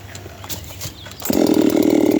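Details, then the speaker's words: 7310 chainsaw test-cutting a small log with little bar in the wood: quiet handling, then the saw bites in and holds a high, screaming pitch that barely drops; the light cut load lets it over-rev. "It'll probably scream even harder on that one, because there's less bar in the wood."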